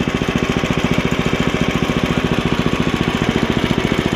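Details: Ariens ST724 snowblower started after sitting long, after impeller bearing replacement and repaint, augers engaged; even rapid put-put firing with no misses or knocks, running smoothly.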